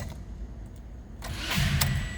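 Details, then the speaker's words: Toyota Corolla (2ZR-FE), about 71,177 miles, cranking briefly then fading without catching; new starter, new battery at 12.8 V, starter relay replaced, fuses checked, dash lights on; intermittent no-start, cause unknown — engine cranks but does not start. "she wants to start come on damn it most of the time it works just fine"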